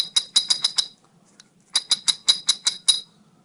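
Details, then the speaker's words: Chevrolet S10/Blazer-type 4x4 front axle giving sharp, loud metallic clicks in two quick runs when engaging four-wheel drive. A sticking transfer case vacuum switch partially engages the collar and chews up the axle disconnect gears. Fixed by replacing the axle tube and gears. "so it's whenever you have clicking in the front end uh you know like like that pretty loud pretty loud click whenever you try to engage four-wheel drive or even if it does it all the the time you got a A sticking vacuum switch and these gears will be chewed up"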